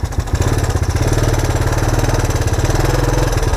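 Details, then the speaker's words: 1984 Honda ATC 200ES Big Red after carb cleaning that fixed its failure to throttle up from idle, warming up; even, steady single-cylinder idle with no misses as it idles down cleanly. "Gotta love it when they idle down like that."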